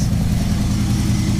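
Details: 1984 Dodge Ram W250 carbureted V8 after replacing failed fuel pump, filter, hoses and carburetor; strong steady low roar holds even with no stumble or miss; engine pulls cleanly and sounds healthy.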